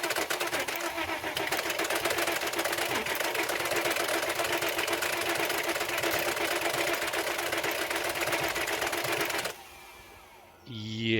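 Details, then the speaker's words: 2004 Porsche Cayenne (955) compression test with fuel pump relays pulled: fast uneven starter churn, no firing, lopsided beat; cylinders read about 120, 0, 160, 0, over 200 and 0, several holding almost no compression. "right cylinder number one we have about 120 Cinder number two zero [Music] cyinder number three 160ish which is okay CER number four zero cylinder number five surprisingly over 200 but cylinder number six zero"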